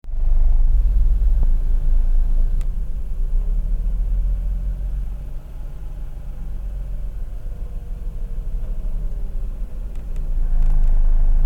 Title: Mazda RX-8 Rough Idle